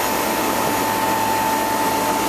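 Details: First start-up of a replacement two-speed (2/4 pole) Bristol compressor in a refrigeration condensing unit, after condenser leak repair and suction line replacement. Steady even hum and fan rush with a constant tone, no knocking or surging: running normally.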